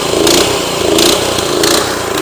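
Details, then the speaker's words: Tru-Cut C-25 reel mower with Honda GX160 engine, warmed up with choke off, at full throttle hunts up and down about every 0.7 seconds; surging attributed to the carburetor, which was then replaced. "whenever you have a surging issue on your motor it could be for a lot of different reasons but generally there's something going on with the carburetor either needs to be cleaned or it needs to be replaced"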